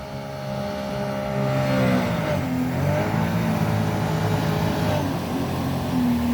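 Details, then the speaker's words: 2012 Sea-Doo Challenger, supercharged 4-TEC engine, after repair of jet pump cavitation: engine held near 7,000–8,000 rpm with a wavering roar that dips and recovers as the impeller bites water again; pump now holding grip, no cavitation. "the propellers grabbing water again"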